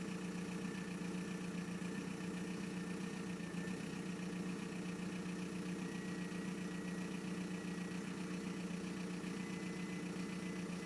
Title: 1999 vw golf mk4 gttdi ahf loud turbo compression long start up/lumpy rough idle